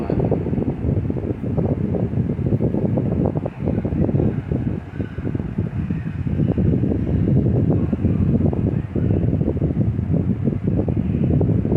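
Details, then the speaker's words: Lasko 18-inch remote-control stand fan, 5-bladed, assembled from various Lasko parts, on speed 2 (medium): even whoosh with soft steady chopper-like blade chop, a bit loud, no rattle or scrape; normal running. "But the sound is not very annoying. It's actually very pleasant to hear. It has like a chopper sound to it if you ask me, compared to the newer blade sets."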